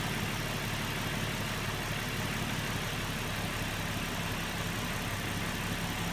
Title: Murano rough idle